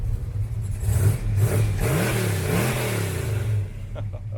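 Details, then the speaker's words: 1973 Dodge Charger V8 at inspection, started well, revved; deep smooth burble climbing cleanly and settling back evenly, free revving without misses, soft and harmonious. "Elle a un bruit fantastique. Et je vous garantis que les têtes se tournent à son passage. C'est très joli, très doux, très harmonieux."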